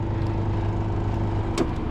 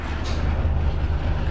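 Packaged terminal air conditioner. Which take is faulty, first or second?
first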